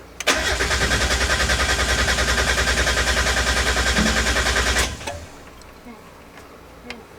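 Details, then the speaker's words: 1990–1993 Mazda Miata, first start attempt after installing a SpeedyEFI plug-and-play standalone ECU: starter spins engine evenly, about 200 compression pulses a minute, for five seconds, never catches; owner suspects ECU setup in TunerStudio needed; crank no start. "all right well so maybe I misunderstood what they were saying so I'm gonna try and open up this tuner studio get this stuff sorted out and see if I can't figure this out"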